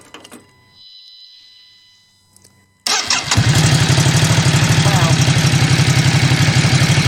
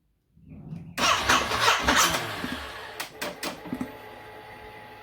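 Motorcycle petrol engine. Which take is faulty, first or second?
second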